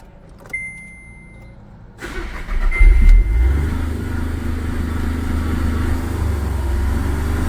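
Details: Skoda Fabia with VW Polo common-rail diesel engine that stalled while driving, started after timing checked and the rail pressurised: a click, a short crank, then it catches and settles into an even, steady diesel clatter.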